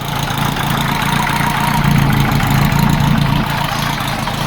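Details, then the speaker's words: VW Type 4 air-cooled engine with IDF carbs, reinstalled and started in neutral: oil and generator lights went out and there are no oil filter leaks. Steady, even low idle with no knocks or rattles. "No leaks whatsoever. Engine sounds great. Perfect."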